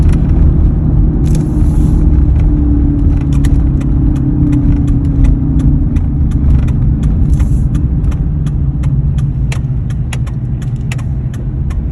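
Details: 2003 Ford F-150 driving: a steady low hum under the road noise with scattered light rattles; cause uncertain.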